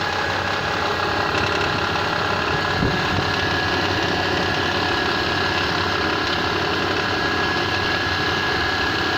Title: Непонятный стук на холодную Паджеро 4 6G75